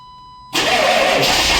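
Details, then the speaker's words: 1995 Chevy 3500 one-ton dump truck, 6.5L diesel, cold start after sitting all winter with loose battery cables and battery issues: after a beep it cranks with a loud steady churn without firing yet. Known hard starter. "oh here we go the 95 is always a hard starter it's been sitting all Winter though"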